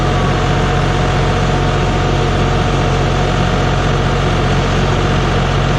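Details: John Deere 5065E tractor diesel right after starter and solenoid replacement, first cold start: deep, steady beat running evenly with no misses or knocks; running smoothly.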